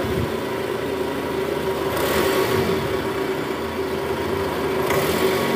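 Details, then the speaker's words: Toyota Estima 2AZ-FE after replacing the worn balancer shaft, which was blamed for rough, diesel-like running with AC on in R or D: smooth, even hum at idle and as revs rise in gear, no longer rough; engine healthy. "Udah nggak kasar lagi ya, suara mesinnya udah halus sekarang, udah nggak kayak mesin diesel."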